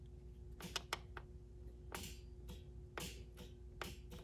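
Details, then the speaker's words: Ford Explorer being converted to a 12-valve Cummins diesel swap, engine not running, key on: light blue/orange ECU wire jumped to ground gives sharp single fuel pump relay clicks over quiet hum; relay pulls in normally, no click with key off. "and hear a fuel pump relay click if i turn the key off and jump it to ground no click it's exactly what i want"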